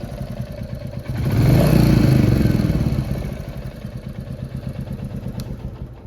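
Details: Royal Enfield Classic 350 Reborn single-cylinder idling and briefly revving with steady light ticking about four per second over the thump; top-end tappet noise.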